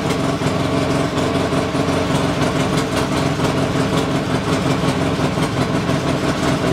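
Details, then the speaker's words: Polaris Sportsman 600 with a swapped carburetor, after repairing a chewed red wire under the speedo: engine idles steadily but a little high, needs tweaking to about 1100 rpm. "carb on still idling a little high but uh i'll have to tweak that"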